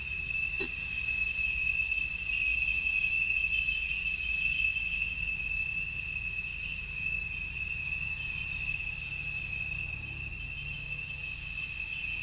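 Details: Porsche Boxster 987: steady, piercing high-pitched screech over a faint low rumble from the rear engine, played back from a phone recording, occurring together with the oil pressure warning light; cause unknown.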